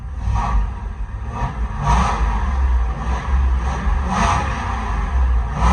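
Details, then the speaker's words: 1965-66 Ford F100 on a Crown Victoria frame, first run after swap wiring with PCM ground hooked up: deep, even V8 rumble swelling with light throttle blips and settling back smoothly, no knocks or rattles; normal revving. "She runs. There she is, running. Sounds good too. Sounds pretty good. A little bit of gas."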